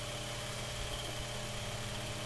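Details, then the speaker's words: Mainstays 9-inch high-velocity fan after cleaning, oiling and blade balancing, in a below-30°F room, on high speed: steady, even whoosh with constant motor hum, no wobble, rattle or scraping; healthy. "Alright, so you guys can see it's definitely moving a lot of air. It's definitely moving a lot. And that's on high speeds."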